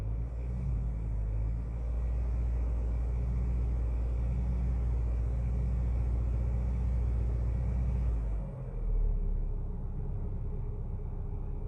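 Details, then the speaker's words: 2013 Hyundai Sonata Theta II engine after in-car rod bearing repair, idle after sitting a couple months: steady low rumble, no knock, loud high-pressure fuel pump, roughness eases after throttle blip; check engine light still flashing; rough idle. "let's see what it does when I give it a little bit of gas here the roughness kind of went away might have just been because it's been sitting for a couple months"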